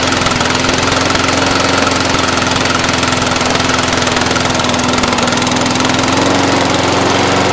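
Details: Brand-new Briggs & Stratton 450 lawn mower, under 2 hours use, fresh fuel, clean air filter, sooty plug, idles rough with an uneven, loping beat and black smoke; clears when tipped back, throttle has no effect; cause unknown.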